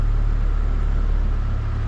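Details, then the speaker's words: 2005 Chevy Colorado with a new battery, after a no-start was fixed by replacing a faulty PCM and relearning the passlock (security light off): starts and holds a low, smooth, steady idle with no misses or surging; check engine light on. "we're going to turn the key off back on and she's alive"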